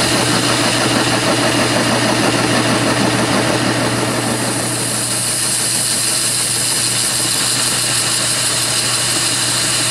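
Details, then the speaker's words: Lathe facing off a steam engine piston (spool) valve workpiece held in a steady rest on a rough-turned surface; steady spindle hum under a rough rattling buzz as the tool chatters. "but it was chattering a little bit so it's going to be a little bit noisy when I turned on"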